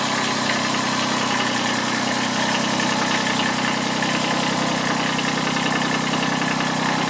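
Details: Kubota B7001 diesel tractor, about 10 °C, just started after two months unused and a hard cold start, in neutral: steady even idle clatter, no stumbling or surging; normal diesel idle.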